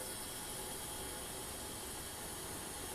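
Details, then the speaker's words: 2008 Yamaha WR250R after replacing the fuel pump with a Highflow Fuel HFP-390: steady high whir for about three seconds at key-on, then cuts off cleanly; pump priming normally. "entend la pompe donc la pompe fonctionne bien"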